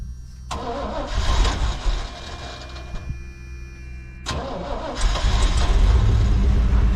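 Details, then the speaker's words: 1988 pickup (long-to-short bed conversion) that sat over a year, old gas mostly drained, new exhaust: cranks briefly, catches and settles into a steady even idle with a clean rev, no knocks or misses; sounds good, normal start and idle, some smoke. "There she goes. Hey, do you have it in gear? Your wheels turn in here. Sounds good."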